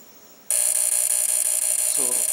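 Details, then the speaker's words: Relay-type household voltage regulator, faulty after a power outage: sudden steady high-pitched buzz from the over-voltage section relay trying to latch; cause found to be a failed capacitor powering the LM324 op amp, fixed by replacing it. "that noise is on the over voltage section. And I think that that seems to be a relay that is trying to latch, so I'll have to open it and check it out."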